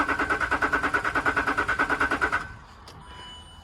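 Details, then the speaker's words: Cheap Range Rover Sport, retried after dash faults including a gearbox fault were cleared. It cranks quickly and evenly at about three beats a second for over two seconds, then stops without catching: crank, no start. "Nothing, no. No. I do think that's turning quite quick."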